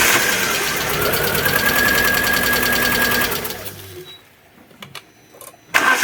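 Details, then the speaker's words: Alfa Romeo 147 Twin Spark, towed in misfiring with a very rough idle and hard starting, cranking: starter turns at roughly four beats a second with a lopsided, uneven rhythm, then goes quiet; low compression on one cylinder. "the customer states that the car misfires and it has a very rough idle and also it is difficult to start"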